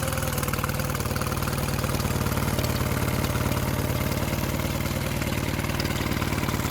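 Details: Mercury 9.9 outboard bought used for £120, which had not run, back after 8-9 weeks of repair with parts from abroad; test run: steady, even putter with no misses or hunting; normal healthy idle.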